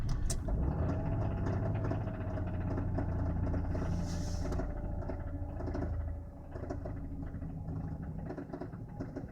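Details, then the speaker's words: Mazda Xedos 9 just started, heard from inside the cabin at an even idle: faint, steady knock a few beats a second over a low, muffled idle; engine knock of unclear source. "Включил зажигание, пробую заводить. Боремся со стуком в моторе."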